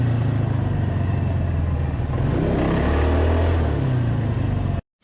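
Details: Polaris 300 Sportsman quad after new drive belt, rear bushing and coil: steady, even low rumble with a gentle rise and settle before shutting off; runs healthy and smooth.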